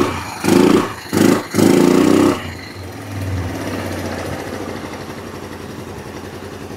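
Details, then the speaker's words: Kawasaki Bayou 300 ATV, parked about two years and run rough before, after carburetor cleaning: a few revving blips then a steady, fairly even idle putter with no misfire, no smoke; running properly now. "running don't smoke"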